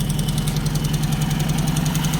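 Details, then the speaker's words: Ford Escort MK3 GLE at idle after it was made to run better: sharp, even ticking at roughly seven a second over a steady idle, with one cylinder not working right. A collapsed hydraulic lifter is suspected, and the valve cover is still to be pulled. "I think I'm going to have to make the cover. See which hydraulic lifter has collapsed. Hopefully, it's just a hydraulic lifter I collapsed."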